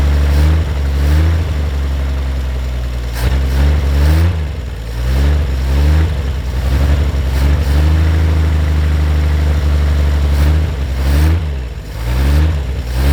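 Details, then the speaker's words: 1950 Chevrolet Fleetline Deluxe six-cylinder, sitting for years, cold winter day: low, smooth idle with gentle throttle blips that rise and settle cleanly; great-sounding, healthy engine, normal idle. "look at that these sound great what a great sounding engine that's terrific"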